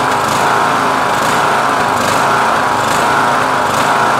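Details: Yard Machines MTD lawn tractor with a 20HP Briggs Intek engine, running on an unused replacement carburetor with the engine cover off, at full idle: a steady, high-pitched drone holding one speed with no hunting or surging. It ran better with the choke closed slightly.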